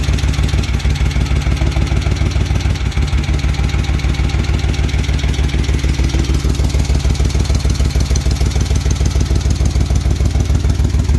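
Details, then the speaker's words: Rebuilt 1971 Moto Guzzi Ambassador 750, Nikasil-plated original cylinders, new rings, rebuilt distributor, a little warm after an oil change, started on the enrichers (choke); steady, even loping idle with a deep exhaust note, no knocks or rattles; healthy. "It is a little warm. I was running it after the oil change, but it fires right up with the enrichers on, or the choke."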